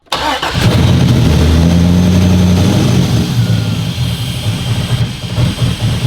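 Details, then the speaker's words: Flood-damaged 2015 Corvette Z06 with the 7.0 LS7, underwater about 50 cm seven years ago with wires cut, cold start attempt: cranks, catches with an uneven lumpy run for a few seconds, then sputters and stalls; fuel issue suspected. "So it started up just a little bit. It did go down again, maybe some fuel issues again, but gotta keep trying."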